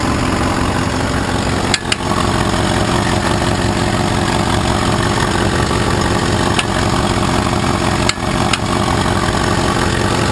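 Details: Petrol engine idling steadily with sharp ticks or knocks at uneven, irregular intervals; spark was disconnected and the engine cranked over, then ignition hooked back up and started; cause unknown.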